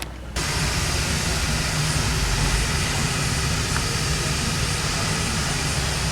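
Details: 2012 Toyota FJ Cruiser after replacing rusted OEM exhaust with new MagnaFlow cat-back system: steady full rumble, deeper throaty tone, no rattles, leaks or drone; normal exhaust note.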